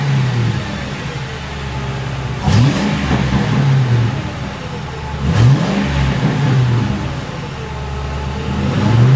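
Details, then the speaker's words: 2006 Crown Victoria P71 with stock mufflers before boring mod, revved while standing behind: deep, even V8 burble with two clean blips settling to steady idle; normal exhaust revving. "Well, definitely not as dramatic as slapping on a set of Magnaflows. A little louder."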